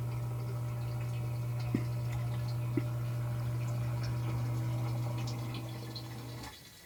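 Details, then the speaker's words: Newly installed submersible effluent pump replacing a 25-year-old one that hummed without pumping and thermally shut off: steady low motor hum runs smoothly about six seconds, then winds down and stops; pump operational and cycling normally, no leaks. "so there you have it the pump is operational it doesn't look like I have any leaks here"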